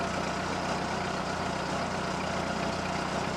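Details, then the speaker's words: 1948 Ford 8N tractor, hydraulic pump untouched after earlier howling, restarted with choke: steady, even low idle putter with no squeal or howl; hydraulics quiet, howl worked itself out. "nice and quiet there's just no way we burn through 10 gallons of fuel ain't going to happen wait Hydraulics are quiet alternator belt"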